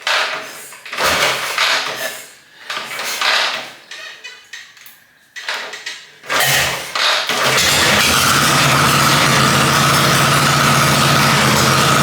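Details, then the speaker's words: Harley-Davidson Panhead chopper after a top-end rebuild, on throttle: uneven, choppy revving that stumbles and fades before steadying; the engine dislikes the setting, so the ignition timing is too far advanced and needs retarding. "he as you can hear it is hating that so I'm just going to take a bit more timing out of it and see what it sounds like"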